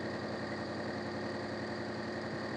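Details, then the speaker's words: Maruti Suzuki Omni MPFI with low pickup and low mileage, spark plugs already replaced: a shaky, uneven idle with a lumpy beat and strong vibration. One cylinder misfires, felt at the silencer; a chafed plug lead is shorting to the body. "Engine ഇങ്ങനെ തുള്ളി തുള്ളി തുള്ളി നല്ല വൈബ്രേഷനില ആണ് engine"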